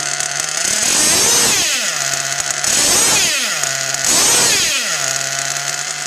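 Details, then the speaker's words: Mugen MBX6R nitro RC car with its idle already lowered, running on new VP PowerMaster fuel after retuning: the buzzing idle surges and sags every second or two and never settles, an erratic high idle; it ran fine on Nitrotane. "You can hear how inconsistent the idle is. It'll probably cut out."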